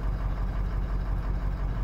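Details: 2005 Ford Super Duty with the 6.0L Power Stroke diesel, P0300, cylinder balance test showing cylinder 7 dropping out: low, lumpy idle with an uneven beat and a stumble; cylinder 7 misfire, injector to be replaced.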